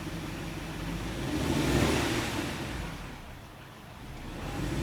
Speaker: This is my 2007 Supercharged Range Rover, and right now when I come off the throttle and go back to idle, it kind of surges for a little bit before settling down.